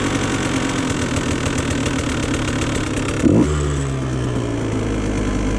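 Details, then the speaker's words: 2017 KTM 150 XCW two-stroke with Lectron Billetron carb: revs drop back and settle to a steady even idle in neutral without hanging; carb nearly tuned. "I think the hanging idle is gone here. Let's stick it in neutral. Idle settles down pretty nice."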